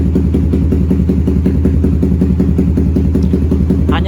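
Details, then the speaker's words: Suzuki GSX-R150 single-cylinder with Proliner exhaust and BRT Juken 5 ECU after mapping, starting on one button press without throttle: deep, regular exhaust beat, no misses or hunting; stable normal idle, though exhaust smells of fuel, suggesting a rich mixture. "Di sini menekan tombol start 1 kali tanpa memutar grip gas sudah dapat. Dan kita bisa dengarkan sendiri untuk putaran stasioner juga stabil di sini."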